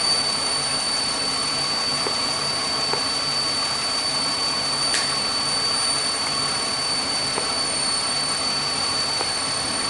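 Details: 2005 Chevy Impala with occasional stall and crank no start (injector and cam harness problem): steady high airy hiss over a quiet even idle; suggests a vacuum leak.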